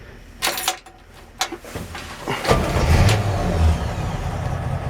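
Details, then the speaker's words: 1965 Chevrolet C-10 short bed Stepside pickup, cold morning start, odometer 41,734: a few quick ticks then catches within seconds and settles to a steady even low rumble; normal cold start. "and she fires right up"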